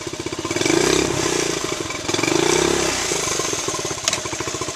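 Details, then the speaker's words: Honda ST90/CT90 trail bike, under 1,100 miles in 30 years, long stored, carbon burnt out, points cover off: small single fires quickly, revs rise and fall smoothly with crisp even exhaust beat; normal start and running. "Sounds really nice. Had some carbon in it. Had to kind of burn that out."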